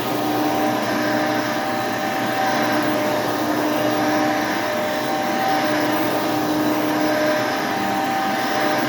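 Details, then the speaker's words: Hoover Elite II vacuum, 5.5 amp motor with seven-blade fan: constant mid-pitched whine over the airflow rush, level throughout; motor whines but still cleans well. "yeah you can hear does have a little bit of a wine to it but it still cleans the carpet exceptionally well and this is a five and a half amp with a seven blade fan"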